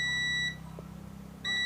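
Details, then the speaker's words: Philips classic 350 W electric iron that won't heat: meter gives two steady high-pitched continuity beeps across the thermostat switch with the temperature dial near max, so the thermostat is good; the thermofuse is the fault. "nanti ketika suhunya mencapai batas suhu yang diatur ini berlampu termostatnya berfungsi Oke Jadi kesimpulannya untuk termostatnya masih bagus ya"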